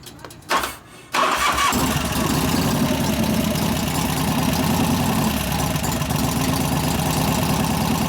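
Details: 1988 Harley-Davidson FXR V-twin after lifter noise repair, pushrod adjustment and cam change: short crank, then a steady, even loping idle with no top-end ticking; normal idle.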